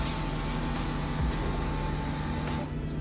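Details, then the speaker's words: Honda CRX drag car with a redone, relocated electric fuel pump, powered directly with a jumper wire during a leak check. Steady high hum with a faint whirr that holds constant, then cuts off cleanly; fuel moving in the tank with no leaks. "go bubbling around what the G say uh 50 it's moving in tank good there no"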